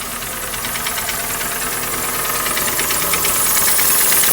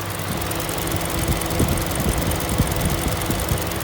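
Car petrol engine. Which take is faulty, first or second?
first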